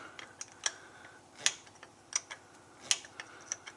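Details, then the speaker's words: Truck "Big Blue" in the shop, air brakes: S-cam being spun all the way around until it seats. Sharp, light clicks at uneven intervals, a few per second, no grinding; slack adjuster ratcheting normally. "So you can see it's still spinning. Basically, we're just gonna flip that S-cam all the way around."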